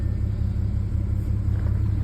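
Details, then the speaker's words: 2010 Audi A6 3.0 supercharged V6 at idle, car shaking heavily, engine light then EPC and traction lights on, codes P0300, P0304, P0305: lumpy idle with uneven low throb and missing beats; engine misfire. "vibrating a lot engine lights on okay soon enough the EPC light is going to come on along with the traction light"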